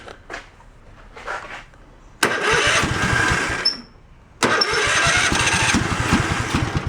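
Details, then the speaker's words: Craftsman tractor twin-cylinder engine started on a dabble of fuel poured in. After a few cranking pops it catches and runs rough and uneven with a loose knocking rattle; the carb float and ignition switch are next to check: clunking and rattling. "well there that's a nice sound isn't it and clunking and rattling"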